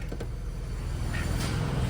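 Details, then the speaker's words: 2000 Chevrolet Camaro with a remanufactured AC compressor: steady low engine rumble with no rattle once the compressor clutch engages; the compressor rattles only when the clutch is disengaged, and no leaks were found at the ports. "I turn the AC back on that rattle goes away"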